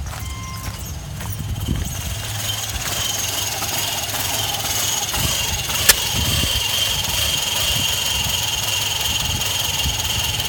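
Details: 2005 Subaru Outback XT 2.5 DOHC turbo after turbo replacement, with stalling and smoke: lumpy, uneven idle with irregular low thumps and a faint high whistle; owner suspects a tumble valve problem, cause not confirmed.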